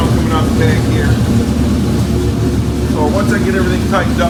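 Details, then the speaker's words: 1992 Ford Mustang GT 5.0 (302) with exhaust fitted: steady, even low rumble at smooth idle with no ticking or knocking; the suspected rod knock was not rod or valvetrain, and the engine runs well. "so the engines running good there was no knock and I'm excited"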